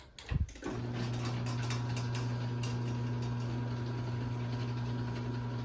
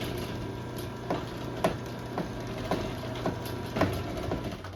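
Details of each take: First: LiftMaster 8587WL chain garage door opener on 7-ft T-rail, switched to small slow sprocket, chain slightly loose: steady low motor hum, light even chain chatter, far less popping and chain noise; slower but quiet. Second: LiftMaster 8587WL chain garage door opener, made March 2018, about 16,000 cycles, on 7-ft sectional T-rail, large sprocket: steady motor hum with sharp uneven pops about twice a second; chain popping, cause unknown, lessened after tightening chain.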